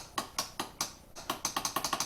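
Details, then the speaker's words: Honda Recon 250es ATV, pressing the electric start: about a dozen sharp dry solenoid clicks speeding up with no cranking; owner ruled out the solenoid, failed starter motor replaced. "you can clearly hear the solenoid clicking so i don't know i've had solenoids i mean they can click but sometimes they don't work"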